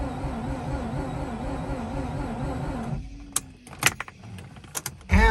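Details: Mazda RX-8 rotary that won't start: starter cranks at steady even churn for a few seconds, second crank also never catches; crank no start.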